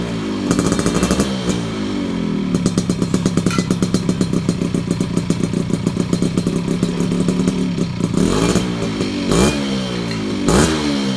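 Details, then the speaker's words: Project bike (#f1zr) after a gear ratio change, PE 30 carb upgrade and chrome NXL exhaust, revving hard: rapid metallic rattle over the exhaust note. Noisy worn piston, now loud under throttle, not only off-throttle. "Ya gua sih masih agak keganggu dengan suara sehernya yang udah lumayan berisik kalau biasanya kan gua berisiknya itu ketika lepas gas ya lepas gas baru dia bunyi ter gitu ya tapi kalau ini di bllyer udah berisik banget guys ya"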